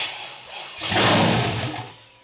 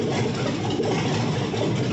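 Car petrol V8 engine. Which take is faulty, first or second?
first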